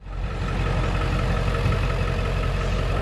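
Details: Ford 7.3L Powerstroke diesel truck after harness repair, previously running on 4 cylinders, deep steady rumble with even low beat and no misses or knocks; normal idle after fix.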